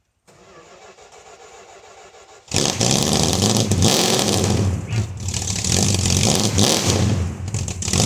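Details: 1971 Dodge Dart 318 V8 with a hard-start problem: quiet cranking, then a clean catch and strong even revs that rise and settle smoothly once the choke was set right; starts and runs healthy.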